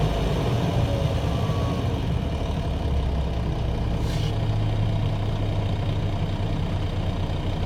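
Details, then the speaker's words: Diesel truck idling during complete air system check: steady idle, then a sharp hiss of air as the air dryer purges when the governor cuts out. Normal air dryer purge at governor cutout. "Alright, and wait, you'll hear the dryer spit, and that's when you know the governor kicked out. Alright, there it was. So that is your governor cutout."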